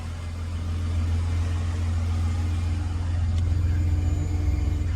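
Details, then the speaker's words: Series 2 AU Falcon right after upgraded in-tank fuel pump install: pump primes, engine fires right up and idles with a low, smooth rumble, no knocks, misfires or pump whine; new pump only slightly louder than stock. "You can hear it priming. Beautiful. Fires right up."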